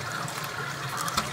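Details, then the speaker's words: Toilet that runs continuously, with the tank lid off: a constant trickle and splash of water filling the tank that never stops. The inlet (fill) valve is faulty and needs replacing. "I'm going to be looking at this toilet that keeps on flying and never stops. As you can see, or you can hear, it's just continuously going."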